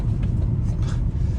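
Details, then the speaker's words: 2010 Peugeot Bipper on a rough back road, suspension freshly replaced; smooth low road rumble with no rattles, knocks or clunks; suspension sounds healthy. "as you can hear Hing really is hairing up this back road suspension's good no Ratt no knocking"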